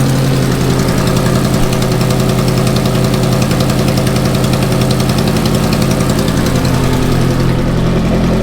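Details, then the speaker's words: Ferrari F430 at idle with blown gaskets on aftermarket exhaust headers, first thought to be the common blown F430 headers: loud idle with rapid, fairly even puffing tick, about three or four a second. Headers then reinstalled with new factory gaskets and hardware. "Blown headers. Listen to that. It sounds terrible."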